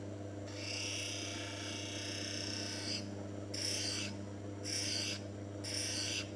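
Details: Manual lens bevel machine, lens hand-held steadily along the stone's rotation to form a V-bevel: constant motor hum under gritty hissing passes roughly once a second. The lens edges evenly, nothing wrong.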